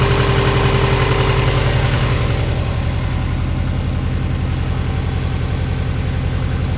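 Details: 2002 US Subaru Impreza WRX flat-four, cold engine at idle: steady low rhythmic knock about 160 per minute under the rumble, typical cold piston slap.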